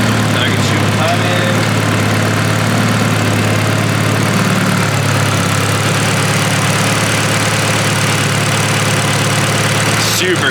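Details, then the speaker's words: Honda K-series swapped Nissan S14 on first start, getting hot with only a dyno fan for cooling: steady, even petrol idle with a constant low hum, no misses, ticks or knocks, no leaks; normal idle. "all right all right she's getting hot so um she's idling great it sounds amazing uh there's no leaks yet which is dope"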